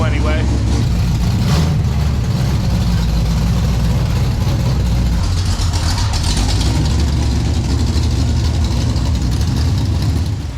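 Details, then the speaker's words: 1971 Mustang convertible with 347 stroker V8 and 5-speed manual swap, first start-up after finishing work: deep, loud V8 burble with steady, even lope at idle, no tapping or misses; normal idle. "I think we're ready to start up actually sounds pretty good like that at idle"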